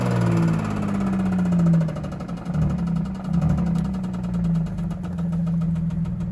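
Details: Cadillac CTS 3.6 L V6 at idle: fast, even ticking that keeps pace with engine speed. A lifter or camshaft fault is suspected, not confirmed.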